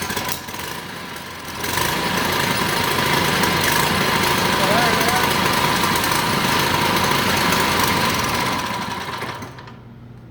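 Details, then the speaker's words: 79cc Predator engine, first start after rebuild, fuel line leaking, governor bypassed, possibly pinched ring: loud steady running for several seconds, then it winds down and dies without revving; stall, cause not found. "sure why it shut off on its own then"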